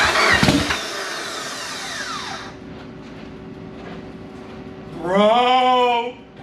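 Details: Engine starts after some cranking and almost 10 years sitting, revs briefly and settles, running cleanly; 2-year rebuild, blow-off valve not yet fitted, later backs out under its own power.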